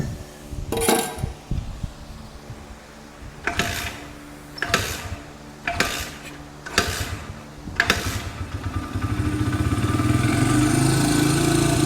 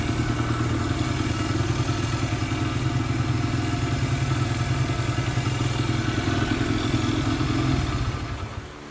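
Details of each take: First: Honda dirt bike, barn find: several kick attempts, then it fires and holds a fast, steady buzz that never drops to a low idle; idle speed set a little high. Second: Barn-find Honda single-cylinder dirt bike, parked for years, just fitted with a carburetor; steady even thump at a slightly high idle, then dropping off; running normally.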